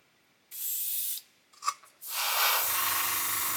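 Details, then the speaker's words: Gaahleri Mobius TG 0.5 trigger-grip airbrush with air pressure turned down: the hiss breaks into uneven, sputtering bursts instead of a smooth spray; paint spatters from too-low air pressure, and going below about 15 is not advised. "so um yeah we can restrict the air down that's causing it to spatter as you can see you can see it is battery with the air pressure too"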